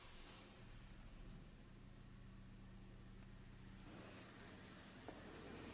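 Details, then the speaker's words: Opel/Vauxhall Astra H 1.8, engine light on: quiet but lumpy idle with uneven stumbling beat, airbox visibly shaking; misfire codes cylinders 1 and 4 plus camshaft position; misfire. "Yeah, it's running really hard but really intense. The airbox practically jumps right out at you. You just can't miss it. It's that pronounced."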